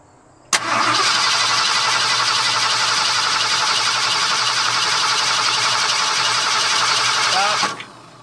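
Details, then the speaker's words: Late 1978 Ford F-150, previously flood-damaged, fuel system problem, fuel being added while watching for fuel: steady starter-motor churning for about seven seconds, engine never catches; air drawn into the fuel line starving it of fuel. "okay so the truck died last night as you saw we towed it back now today i'm going to get to the back brakes and redoing those not that i can test them at all because we have an issue in the fuel system somewhere"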